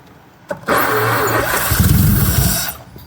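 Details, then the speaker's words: 1933 Auburn V12 Salon Speedster (Lycoming-built, 45-degree V), start attempt after decades dormant in a museum, in neutral, spark confirmed; starter click then brisk even cranking, starter spinning the engine normally. "Make sure it's in neutral. If I press this button on the start, it should crank."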